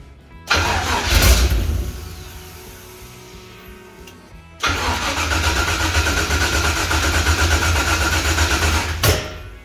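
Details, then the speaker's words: Toyota Toyoace truck with 6 litre V8, battery going flat: cranking at a few turns per second, never fires despite apparent fuel pressure; crank no start, cause unknown. "I'm just trying the same thing over and over again at this point, hoping that something changes. It sounds like there's fuel pressure."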